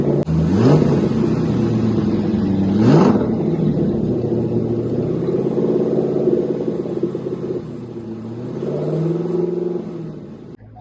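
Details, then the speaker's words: Chevrolet Corvette C5 LS1 V8 just fitted with a mild performance camshaft, first start before tuning: fires, blips twice, then settles to a lumpy, slightly wavering idle; cam needs a tune. "Right. So, as you can hear, it does run. It's not absolutely perfectly smooth, but it runs okay to say it's got a cam in it. Um, it's quite a mild cam, as I said before, but even so, it does need tuning."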